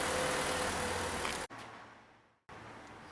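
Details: 2014 VW Polo, warming up during diagnosis: smooth, even idle with a steady low hum and no knock or tick; engine sounds healthy, normal idle.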